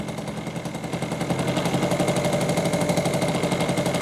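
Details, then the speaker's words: 1986 Honda Spree two-stroke scooter, previously non-starting, runs after carburetor cleaning (float and needle serviced); small two-stroke buzzes at a fairly even idle, about four pulses a second, settling nicely, idle may be turned up slightly; running healthy. "dude she's puring"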